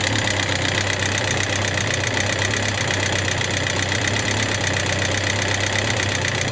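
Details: Suzuki GSX750S Katana engine at idle: quick uneven metallic ticking from the top end, began after hard revving; persists despite new rocker arms, camshaft, cam chain parts and tappet clearance 0.07–0.15mm; cause unknown for 20+ years.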